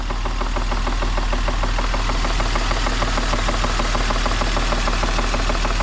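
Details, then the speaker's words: BMW E46 coupe 2.5-litre engine, idling about 30 seconds after start: light regular tapping about three per second over normal injector tick; owner suspects top-end noise, not bottom end; cause unknown. "so you can hear the ejector tap which is normal but hear that tap that like knocking that's the sound that I'm thinking it sounds top Endy doesn't sound bottom end"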